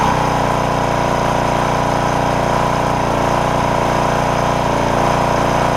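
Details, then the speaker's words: Porter Cable generator, Briggs OHV, after pushrod replacement and governor repair (throttle had stuck wide open); run almost 20 minutes, steady even drone with governor holding speed, only the slightest miss — normal governed run. "so we've run it for almost 20 minutes now and it's the governor's holding and all that good stuff"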